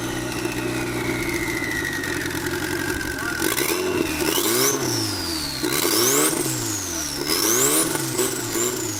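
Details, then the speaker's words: Turbocharged KA-engined Nissan 240 running without a tune, timing being adjusted: revs rise and fall over seconds-long cycles with turbo whistle following; check engine light flashing, suspected MAP/air-fuel ratio from no tune. Engine surging. "it has no tune that's why rooms like this but the check engine lights flashing fast on three four five and then slow on one and two"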